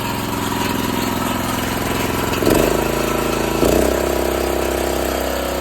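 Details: Old 8 hp Honda generator, engine sped up, running a small grinder on metal as a light load: it hums evenly, dipping only slightly as the grinder bites twice before settling back; the generator handles the light load fine.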